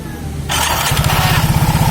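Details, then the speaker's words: Soul GT scooter after repair, roller holder and front CVT reinstalled: short clean starter whir, engine catches within a second into an even quick putter, no grinding; cause was an old compressed starter clutch spring not returning, bearing not worn. "Masalahnya cuma pernya tadi udah lama kan, jadi dia udah ketekan, jadi nggak mau balik."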